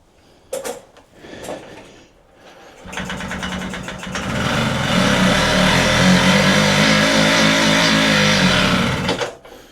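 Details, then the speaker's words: Puch Maxi moped, timing set to about 14 degrees before top dead center, compression and spark present but spark plug dry: pedal-driven even chuffing with no firing or catch, turning over dead; suspected no fuel, unconfirmed. "I think we've pretty much got the timing right, but the plug was dry, wasn't it? Got compression, got spark. Don't think we've got fuel."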